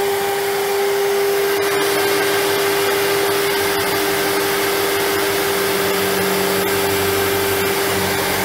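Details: 1997 Sebo X1 upright vacuum on first power-up after collection: smooth constant motor whine with a steady airflow rush, no pitch wobble or rattles. Running normally.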